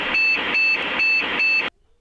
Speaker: four shorties motherboard or system timer error motherboard timer is not working properly